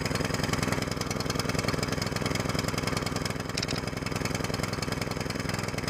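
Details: New single-cylinder longtail mud motor on 10W-30 break-in oil: fast fairly even thumping at moderate speed, no knocks or misses; healthy break-in run, rpm varied but never at max throttle.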